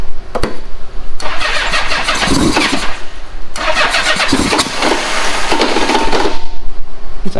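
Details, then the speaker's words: Old Honda Goldwing after the plugs were cleaned and the timing belt was checked: it cranks, then fires in a few ragged bursts that die away each time. Owner suspects it is only running on leftover starting fluid. "And then I hit the switch and it wants to start. It's promising. It's probably just the starting fluid that was in there."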